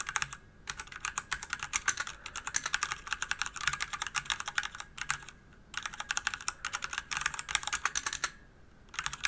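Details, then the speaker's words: DIY DZ65RGB V2 hot-swap keyboard kit, aluminum body over 1 kg, Cherry red linear switches: even bursts of soft, muted keystrokes with no rattle; normal typing sound. "どうでしょうか赤軸独特のスコスコといった打ち心地がとても気持ち良いですね"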